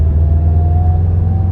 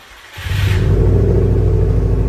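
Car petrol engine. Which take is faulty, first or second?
second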